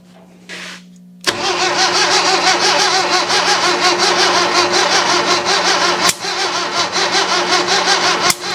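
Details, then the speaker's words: 1966 Datsun 520 truck abandoned 40 years, cranked on choke with added fuel: starter cranks steadily with uneven beats, a couple of cylinders fire briefly but it never runs on its own; fuel leaks from a just-repaired spot. "It definitely fired on a couple of cylinders for a second. I'm just trying not to completely burn up this starter."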